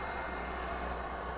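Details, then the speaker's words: Used Propex HeatSource HS2000 LPG campervan gas heater bench-tested before installation, already warming up and blowing warm air; smooth, even rush of fan and burner with no pulsing, rattles or surges; heater running normally. "got any obstructions and that's already starting to warm up and blow out some nice warm air out of the uh the"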